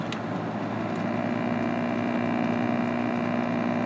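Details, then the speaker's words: Panasonic RC-76 clock radio with the alarm set to buzzer and the volume turned all the way down: a faint low foghorn-like drone with a soft pulsing buzz, very quiet; unclear whether this is normal or a fault. "And let's see if we get an alarm set out of this. Well, we do. It's really quiet. Sounds like a foghorn."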